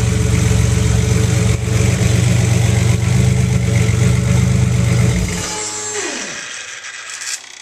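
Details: Buick with newly installed Bailey Engineering TR6 ignition system running waste-spark smart coils from current V6 trucks, 2012: even, steady low pulsing about four beats a second with no misses, then winds down smoothly; normal idle.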